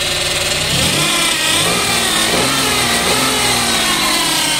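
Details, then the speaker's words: Daihatsu Ayla/Toyota Agya engine with sludged oil, cold start revved: harsh busy top-end clatter rising with revs; oil drips only slowly to the head, low pressure leaves the top end unlubricated, noise fading slowly once warm. "Nah, jadi kalau misalkan di awal baru dinyalain olinnya itu ke atasnya itu lambat ya. Jadi tekanannya itu kecil. Bisa dibilang bagian atas tuh enggak kelumasin semua. Jadi ada bunyi."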